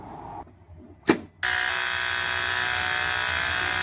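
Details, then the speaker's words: 2002 Mitsubishi Pajero, V5A51 automatic, after filter service and freeing the bound selector linkage: steady high-pitched electric buzz as the shift solenoids energize in reverse and drive; normal. "working beautifully and you can hear the the solenoid buzzing when you select reverse this one's buzzing and drive"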